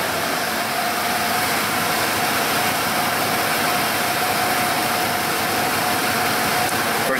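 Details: 1995 Ford F-150 5.0L after fixing a single-cylinder misfire (a Subaru plug wire is fitted on that cylinder). A steady, even idle with a constant hum and no stumbles or missed beats; the cylinder now fires cleanly.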